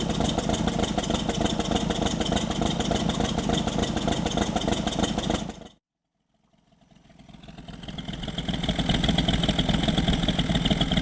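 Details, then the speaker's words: 1964 Triumph TR4 after cylinder head rebuild for burnt valves, Zenith Stromberg carbs: firing beats about three a second, mostly even with a faint lope; smooth idle with slight gallop, needing a little more carb tuning. "This is smooth. It's got a little bit of a gallop yet. I think there's a little bit more tuning to be done, but really close."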